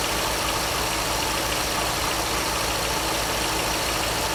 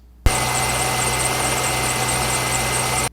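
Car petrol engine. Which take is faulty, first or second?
second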